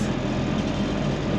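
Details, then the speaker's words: 1962 Ford Falcon started after new brakes: short stretch of steady, even low rumble with no knocks, misses or ticks, sounding better than earlier; engine running smoothly. "pretty good. Sounds better than there earlier, doesn't it?"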